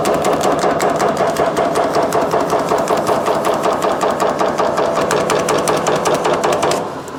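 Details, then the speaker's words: Power shrinker on high speed shrinking 16 gauge 3003 H14 aluminum: rapid, steady hammering strokes at an even pace, winding down at the end; normal shrinking operation. "So you can see just how fast that shrink"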